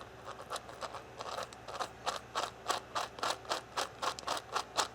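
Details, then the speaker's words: Tamiya Thunder Shot (1987 4WD re-release) gearbox turned by hand during build: rough ratcheting clicks, three to four a second; gears meshing too tight and binding, reassembled afterward for a smooth mesh. "Hear it? Too tight. So, we'll undo it, put it back together and try it again"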